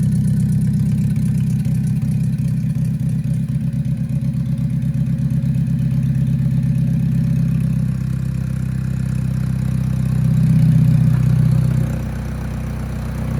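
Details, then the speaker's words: Budget drag-race beater car with a turbo being installed, run with a sensor plugged in just for testing: a low, lumpy, uneven idle with a slight surge near the end; it runs rough and the cause is unknown. "she did not like that I wonder know why it's running like crap"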